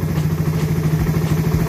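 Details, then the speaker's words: Second-gen Raider 150 single, previously extremely noisy then stopped running, now repaired and running: steady, even low putter with quick regular beat, no knocks or rattles; still somewhat smoky, 28mm carb suggested; normal idle. "So ano to second gen yan ganyan yung tunog ng makina ni paps"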